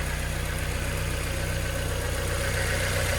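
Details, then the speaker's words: 2000 Mazda Miata NB, 119,000 miles, fresh oil with ATS Chemical oil system treatment for top-end lifter tick: steady light tick about four per second over even idle, valvetrain/lifter noise persists, treatment apparently ineffective. "I know this engine wants to be quieter but um I just don't think that this stuff worked as good as I wanted it to"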